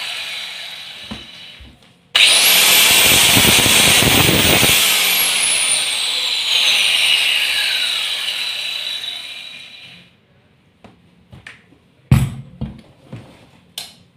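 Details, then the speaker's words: INGCO 1400W 110mm tile cutter, blade just fitted, motor jumps to a high even whine, holds several seconds and winds down smoothly without grinding or rattle; slight smooth vibration, runs normally. "दोस्तों no doubt ये बहुत powerful है और अच्छे से चल रहा है।"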